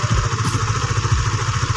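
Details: Honda Sonic 150, worn camshaft cover (from dry oil) repaired with an RXZ connecting rod, over two years and hundreds of km later: steady, even low thump with quiet, regular valve clatter; normal idle.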